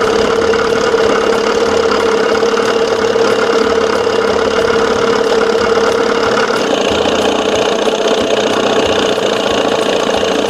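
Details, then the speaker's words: 1987 Johnson 6 hp two-stroke outboard just started after fitting a smaller jet, mixture screw out 1.5 turns: putters at a steady, even idle with no misses or surging; runs smoothly. "All right, go up here to the start position. I got it out 1.5 turns. Woohoo! Boy, she sounds good."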